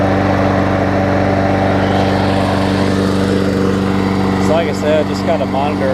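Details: Toro six-and-a-half-horsepower Tecumseh self-propelled mower after repair, with new blade, carb clean, new air filter, new primer bulb and full service. It gives a steady, even drone with a low hum and no misses or knocks and runs smoothly.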